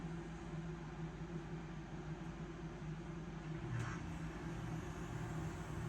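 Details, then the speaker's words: Furnace blower motor just replaced to fix AC, first start after install: steady low hum and airflow rush, no rattle, scrape or wobble, sounding better than before; normal blower motor running. "It's a good sign. Nice. It even sounds better."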